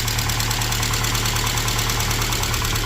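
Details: Saab 900 SPG turbo (T3/T4 hybrid turbo, open intake, modified exhaust), probably first start in about a year, on a jump pack: quick, light regular ticking over steady idle; lifter tap after sitting.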